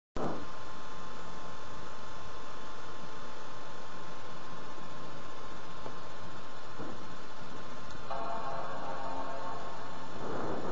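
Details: MacBook at power-on: steady, alarm-like electronic beeping and it fails to boot into the OS; the meaning of the beeps is unknown.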